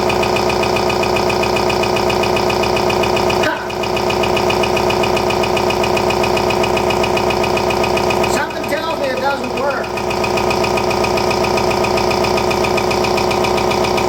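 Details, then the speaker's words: RCA SJT 400 CED videodisc player, newly unboxed, during eject: constant loud rattling chatter, about two to three knocks a second, from the mechanism; owner suspects a broken gear, seized loading motor or broken loading-motor belt. "it's trying to eject it right now and our motors seized up or it's got a broken belt right here there's one problem at least needs a belt out so now i know what that noise is"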